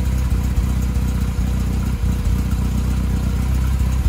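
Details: 1978 MGB after carburetor rebuild, after years parked: steady, even low burble at idle with a couple of light throttle blips; starts every time and idles smoothly.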